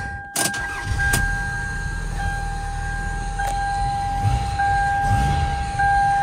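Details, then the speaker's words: 1999 Toyota Camry 2.2L after fixing a rough-running P0300/P0301/P0302 misfire, including a new spark plug in cylinder three: steady, even idle with no stumble, faint electrical tone; running smoothly, though a vacuum leak sucking noise is found nearby. "it's nice and smooth now just let it run for a little bit burn off all that unburnt fuel"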